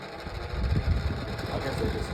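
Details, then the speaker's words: Old 9-inch Dayton oscillating table fan on low speed: fan hum with an irregular scratchy rasp, blade scraping from end play on a worn shaft; it may need more oil. "makes the horrible noise."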